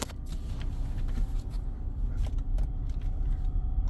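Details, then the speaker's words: Vehicle in drive, speed-sensor codes present, transmission has no dipstick: a faint steady high whine rides over the low engine rumble; the transmission is whining, cause not yet found. "oh and the transmission is whining I do not know if you can hear that in the video oh yeah there's definitely a problem"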